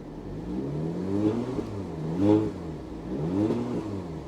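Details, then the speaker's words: 2021 Porsche Macan GTS V6, 35,000 miles, fresh 0W-20 oil, warming up at idle with fan turned down; note swells and dips about once a second, a lumpy bump felt in the idle, cause unknown. "I could feel the engine kind of bump"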